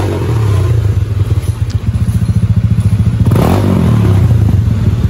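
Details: Honda Beat Deluxe scooter engine after a 140 cc BRT bore-up with a new original front seal, first start test before TPS calibration: even, steady single-cylinder thump at idle with no drumming or knock, running cleanly.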